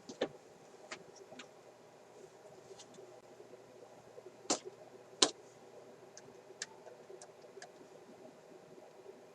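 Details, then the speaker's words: Sparton Model 67 vacuum tube radio after cleaning tube pins and alignment: faint hum with sharp metallic ping through speaker on each finger tap of one tube; not volume sensitive, so fault is after volume control; microphonic vacuum tube. "i guess you hear the microphonic tube a little bit it's pretty clear which one it is when you use your finger"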